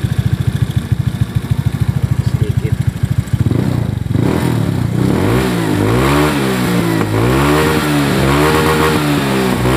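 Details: Honda Beat FI injection scooter, previously noisy engine, after valve clearance set to standard: idles evenly, then revs up and down in repeated smooth blips with no ticking.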